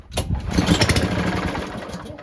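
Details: No-start mower, before carburetor cleaning: one cord pull, the engine catches with a ragged burst of firing, then sputters and dies within two seconds; the carburetor jets are clogged.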